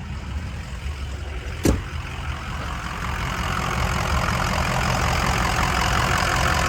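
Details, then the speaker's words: 2005 Ford Excursion Limited 6.0L Powerstroke diesel 2WD, 241k miles, never tuned, new turbo, 4-inch MBRP turbo-back exhaust, S&B cold air intake; deep even rumble building smoothly as revs rise, no knocks, ticks or misses; healthy. "Guys, this truck sounds phenomenal. Sounds so good. That 4-inch turbo back exhaust and that new turbo sounds really good. Again, no tune or anything."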